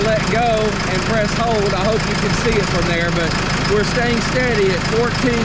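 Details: Case 75C tractor with a no-crank electrical problem, running after a jump start; the charging system reads 14.26 V and tests fine. Steady low diesel idle with birdsong, no knock or misfire: normal idle.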